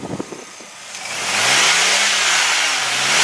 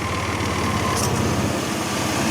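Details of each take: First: 2000 Chevrolet Blazer 4.3-liter V6 revved three times: swells up and down smoothly with no high-rev knock or valve train noise, healthy; a possible slight exhaust leak is also heard. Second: 2000 Chevrolet Blazer 4x4 with the 4.3L V6: even idle with no knock or valvetrain noise, but a faint, quick puffing tick in time with the firing. A slight exhaust leak is suspected, not confirmed.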